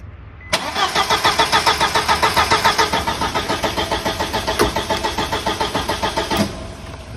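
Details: 1999 VW Passat 1.8T petrol, after resoldering the main relay joints: fast, even cranking for about six seconds, then the engine barely catches and stumbles, firing roughly as if choking; the relay still needs replacing.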